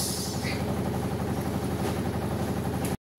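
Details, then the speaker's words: Samsung automatic washing machine after repair of tak-tak spin noise, end of spin: smooth, steady low hum, strong spin with no banging or scraping, then stops; spin normal. "Lakas niya oh. Lakas mag-spin."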